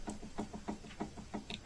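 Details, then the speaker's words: Lincoln Navigator 2 steering rack on the bench, rocked by hand: sharp metallic knocks about three a second from rack-and-pinion play; adjusting nut slowly tightened until knock disappears. "да стучит и качаем и потихонечку гаечку поворачиваем пока стук не уйдет"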